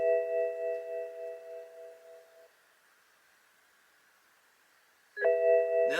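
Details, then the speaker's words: BMW soft top being worked by hand, with the Hall effect sensor wired outside the top frame: a clear repeating chime, about four per second, stops and restarts as the top arm is moved. This is the top position warning. "so I'm going to move this arm well it's got there it goes so I want you to see you hear it Go dinging and everything"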